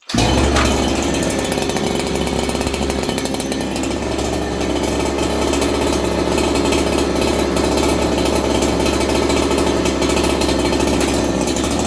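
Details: Ported clone Husqvarna 288XP chainsaw, choke used: catches quickly and holds a steady high buzzing rev without stumbling or surging; starts better.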